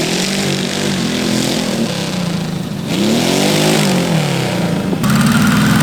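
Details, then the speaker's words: Custom transverse V8 go-kart, nearly 900 lb with driver: revs climb smoothly low down, then the note turns ragged through the middle-high range as the engine breaks up under revs; they plan to drop the carb needles, cause unconfirmed. "It sounds like it's still breaking up at kind of the middle high. Yeah. Okay. So, I think if we drop the needles, it'll it'll get that final Sweet."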